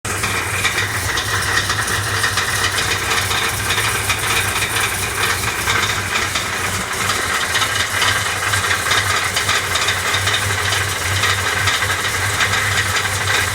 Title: Clatter Sounds